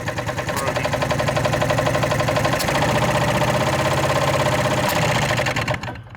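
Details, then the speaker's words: 1986 Scat hovercraft two-stroke engine: hard rapid knocking about four a second over rough running that dies away; something chewing the piston top, possibly not rod knock but something caught in the cylinder hammering the head; melted piston. "that might not have been rod knock sound that might have been something that had got caught in the cylinder and it's hammering the head"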